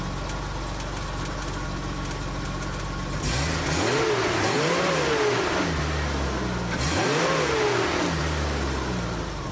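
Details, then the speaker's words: BMW E30 after new SPEC stage 3 clutch and new alternator belt, having run hot when belt failed: steady idle then two clean throttle blips rising and falling smoothly, no knocks or squeals; some smoke, owner fears head gasket; normal revving. "so the car sounds good but she's blowing a little bit of smoke"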